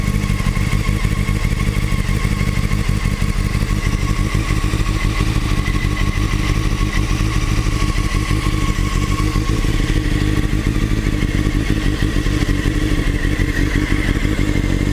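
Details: Motorcycle running steady with a busy metallic clatter and uneven thumps over the engine note; a top-end rattle, and the owner suspects the cam chain tensioner (CCT), not confirmed.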